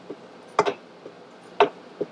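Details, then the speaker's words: 1958 Harley-Davidson XL Sportster (Ironhead) lower end, crank turned by hand after trimming the lock plate: faint light ticks about twice a second; a tiny shiny spot suggests the lock-plate screw is rubbing the pinion bearing race. "a little tick tick tick something in there is still hitting just a little bit you're probably not going to believe this but there's a little tiny shiny spot on the side of this screw right here and I think the screw is rubbing on the pinion race"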